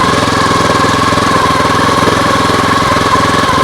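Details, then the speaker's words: Lawn mower engine on homemade air-cooled outboard, full tank, in gear driving the propeller: steady fast even putter with faint whine, running better under prop load, though it later quit, possibly from water kicked up. "but it seems to be running better under the load"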